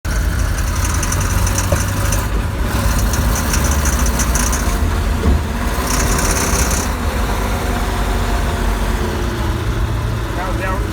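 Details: Recorded at night: the engine pulls with a loose, buzzy rattle riding over the drone in bursts as load rises. Rattle under acceleration; source unclear.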